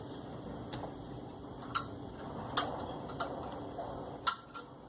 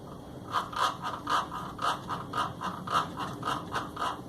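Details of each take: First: Top-loading washing machine during agitation, after the noisy agitator mechanism part was replaced: sparse, sharp single clicks every few seconds against a quiet background, the ordinary ratchet tick of a sound agitator. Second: Washing machine agitating after a new mechanism kit was fitted gives rhythmic scraping about twice a second; clutch-dog teeth of mismatched height and thickness are rubbing.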